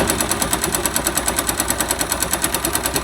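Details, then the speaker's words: 2005 Yamaha YBR 125 found with oil below the dipstick mark, refilled, smoking and lacking power: sharp even knock about seven per second at idle. Connecting rod knocking, plus piston and bearings worn. "e um dos barulhos era a biela canecando e o pistão e esses rolamentos né"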